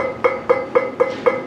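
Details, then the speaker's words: Chevrolet S10 LED light bar bracket, transplanted from a Suburban; plucking the bar gives a clear twanging ring about four times a second, dying quickly; bracket flexes, owner plans to stiffen it with a welded gusset. "you can hear that resonance so when the lights are actually on it it actually does flex so i need to get in there and stiffen that up just a hair"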